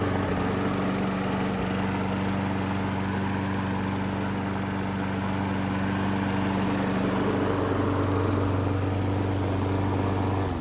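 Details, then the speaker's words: Husqvarna-built Craftsman self-propelled mower after engine replacement: steady, even drone with constant pitch and no knocks or misses, running healthy. "This thing came out really good, really happy with the results. Definitely make somebody a decent mower. Runs awesome."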